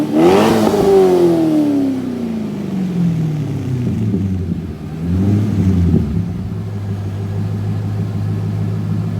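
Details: 2001 C5 Corvette Z06, about 30,000 miles, after used MagnaFlow cat-back exhaust install, checked for leaks: deep V8 blips up then falls back to steady rumbling idle, no ticking or puffing; normal idle and revving.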